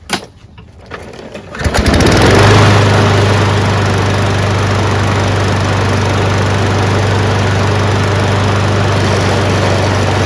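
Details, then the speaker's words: Craftsman 22" self-propelled mower with Briggs & Stratton Quantum 6.75 engine after a carburetor clean, blade adapter change and draining 5-6 ounces of overfilled oil: catches quickly, holds a steady even hum with no shake or misses. "Absolutely perfect. Didn't take us very long at all. Just did a carburetor clean, didn't have to replace it."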